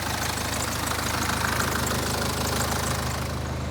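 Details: BMW N47 2.0-litre diesel idling with a busy metallic rattle about three per second from the back of the engine; timing chain kit fitted about 25,000 miles ago appears to have failed, engine must come out.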